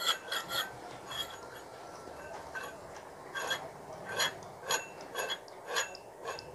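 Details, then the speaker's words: Monoblock (Tullu) water pump motor with its shaft turned by hand: dry rasping scrape in uneven bursts from the rear/lower bearing while the front bearing is quiet; worn motor bearing, to be replaced. "उधर वाली very में आवाज है तो हम इसको change करेंगे"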